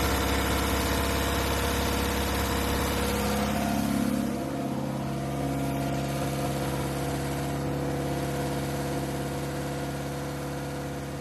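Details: 1969 Ford Capri, replacement carburettor with smaller choke, choke on: uneven idle, steady low drone that sags and changes note midway, as if fuel-starved; poor idle, idle screw/mixture suspected, unconfirmed.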